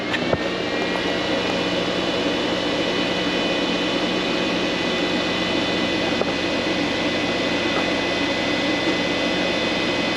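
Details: Vtoman Jump 1800 LiFePO4 power station running coffee maker and microwave, pulling about 1569 W of 1800 W: steady airy fan whoosh with faint even whining tones; cooling fan on normally to keep it cool.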